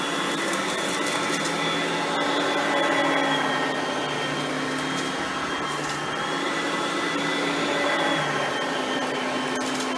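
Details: Oreck XL Platinum lightweight bagged upright on high speed, cleaning crushed stale chips: steady, even motor whine with constant fan rush holding pitch throughout. Normal high-speed running, quiet direct-air vacuum.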